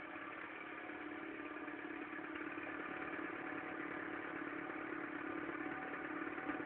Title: mk3 1.4 mono bad engine sound then cold